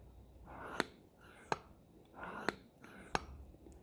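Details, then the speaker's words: SU carburettor from a Riley 9 engine, being reworked, after loosening and re-centring the jet that was hanging the piston up: four crisp clean clicks as the lifted piston drops onto its seat; it falls freely, so the jet is centred. "that piston is now falling freely, so you know the jet's centered."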